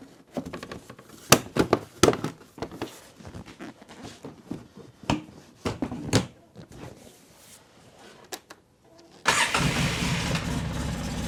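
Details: 2003 Polaris Sportsman 600 ATV after welding cracks on both sides: some clatter and handling, then the engine catches at once and settles into a smooth even idle without exhaust puffing or ticking; normal start and idle.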